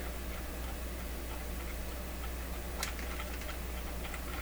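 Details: Clairtone console stereo record changer during intermediate-wheel maintenance, control suspected left in start position: faint light ticks repeat over steady low hum while changer fails to cycle; something in the mechanism is clicking.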